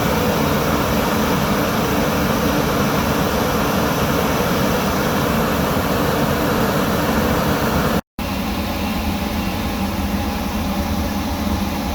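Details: Workhorse W22/W24 chassis 8.1 Vortec with radiator blocked off, engine at 225°F: loud steady rushing roar over engine, holding even, as fan clutch locks up (expected near 205); normal fan clutch engagement.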